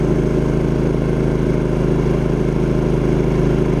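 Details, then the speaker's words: Champion 3500 W dual fuel inverter generator under a heavy travel-trailer load: current creeps to 5–6 A, then surges to 11–12 A at 119–120 V. Steady, even drone holding constant speed with no surging, knocking or misses; normal under heavy load. "you'll notice on the ant meter I'm not sure if it will come out on video but it creeps up slowly to about five or six amps and then that initial surge will push it up to 11 to 12 amps"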